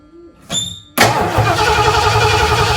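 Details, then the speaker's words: 1978 Lincoln Continental V8 fitted with a four-barrel carb in place of the original two-barrel, new fuel filter, not run for about a week: long crank with a short catch before firing, then uneven lumpy idle; carburetor needs attention. "make the engine run a little better carburetor really needs to be c"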